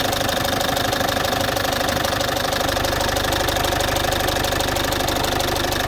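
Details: Citroën C5 2.0 HDi 100 kW diesel idling with a fast, even tick about three per second; source not pinned down, owner suspects injector area; injectors repaired and new piston rings, valves repaired, valve seals replaced 15,000 km ago.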